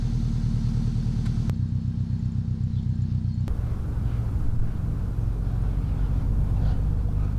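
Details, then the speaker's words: Honda Integra after exhaust leak repair: holed flex pipe replaced, pipe welded, front pipe to header cut and rewelded to fit; deep, steady, even exhaust rumble with no puffing or ticking, sounds way better than before; normal exhaust note. "that took took quite some time but we got it on sounds way better than before"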